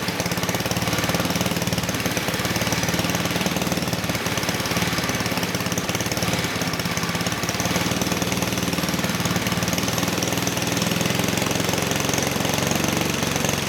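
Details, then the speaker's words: 1959 McDonough T-10 "Tin Lizzie" go-kart, 66-year-old small engine disassembled 30 years and revived, running on its own after carburetor work with choke open: fast, raspy, steady buzz at fairly constant speed; engine sounds good, normal running. "Okay, good. So, the engine sounds good."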